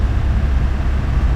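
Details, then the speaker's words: 2018 Nissan Qashqai J11 1.6 dCi 131 hp diesel during scanner-forced DPF regeneration, idle raised above 3000 rpm, later dropping toward 2000; deep steady drone, no roughness; raised idle during DPF regeneration. "Ok, écoutez les gars, le moteur tourne au ralenti est supérieur à 3000 tourne puis effectue la régénération forcé"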